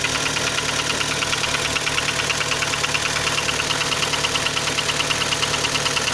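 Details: Kia Sportage 3 at idle: sharp even ticking knock about two per second; light engine knock, louder cold and quieter warm, present at low speeds, gone at 60-90 km/h, returns on re-acceleration; source unknown.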